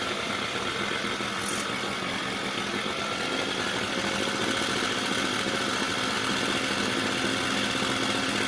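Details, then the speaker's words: Mercury 4/5 hp two-stroke outboard with new carburetor, running after a no-start diagnosis: buzzes fast and steady with a crackly top end at too-high idle; idle needs reducing, then sounds more appropriate. "Okay, I gotta reduce the idle."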